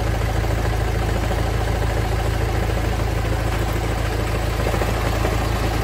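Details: Honda Civic 2.2 i-CTDI diesel idling: a heavy, uneven rattle underneath from a damaged dual-mass flywheel.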